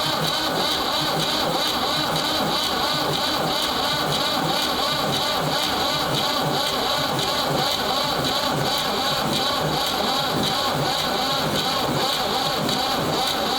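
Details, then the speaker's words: Ford 3600 diesel tractor after a CAV injector pump rebuild and injector bleeding: a long, labouring crank with a steady chug that never catches. The battery is running down and slowing, with fuel reaching the second injector. "wow okay as you can hear she's slowing down i'm gonna put it on the charger"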